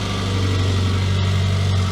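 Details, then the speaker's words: Classic Mini MPI first start after engine reassembly and head gasket repair, oil burning off: steady smooth hum held well above normal idle, no hunting; owner suspects throttle adjustment or cable, not confirmed. "unbelievable that's a bit of oil burning that's fine it's idling a bit high that has something to do with the throttle adjustment"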